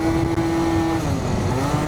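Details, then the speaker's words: Stage6 Yamaha BWS 70, still cold on a test ride: a high, steady two-stroke buzz revving far too high for road speed; variator rollers too light. "Why is it? It is revving very high. Like it's really revving quite high for me, for my liking."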